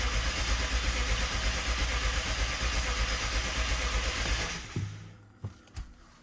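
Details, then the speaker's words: BMW 750Li first start after transmission repair and engine reinstall, fuel system empty: starter spins the engine at nearly three turns a second with no firing; crank no start until fuel pressure builds. "this is still going to take a couple of tries because right now there's no fuel in the system so we'll need to crank it to get that fuel pressure up"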